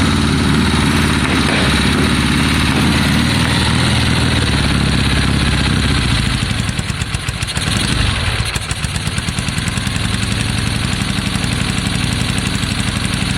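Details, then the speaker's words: 1972 Triumph Bonneville T120 with Mikuni carbs, warming up after its first start, choke now off: twin putters about three beats a second but stumbles and dips before picking up. Carbs are hard to balance, and it likes some throttle. "it's very hard to get that um to get them level isn't it yeah he likes a bit of throttle"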